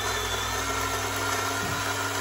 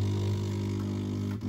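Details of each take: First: DeLonghi coffee machine after repair of the brew unit drive shaft, previously with metallic sounds and red triangle error: steady low pump hum, short pause, even hum again with no metallic scraping, healthy brewing. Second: DeLonghi coffee machine showing a red triangle error, brew unit barely moving: a low motor drone with gritty metallic sounds like a coin in a metal can, worst with the brew unit in the down position. Cause: worn brew-unit main drive shaft.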